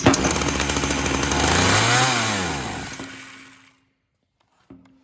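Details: Ryobi RY3714 chainsaw started on choke: it revs up briefly, the pitch sags and falls away, then it dies with only a short restart burp, stalling under throttle; cause suspected, not confirmed.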